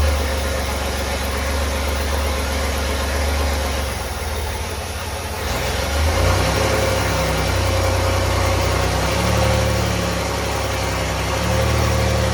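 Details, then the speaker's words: Chevy 4.3L V6 swapped into a Willys CJ5, first start with the timing slightly adjusted by ear before a timing light was fitted: loud, uneven running with wandering revs, no smooth idle; cause suspected, not confirmed. "I played with the timing just a little bit there to try to make it run a little better"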